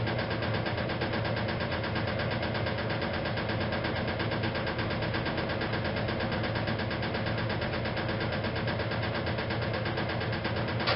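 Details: 1956 Whirlpool Imperial washer during spin: steady drone with a loose, uneven knock once or twice a second from the rear motor access plate not refitted properly; harmless to operation.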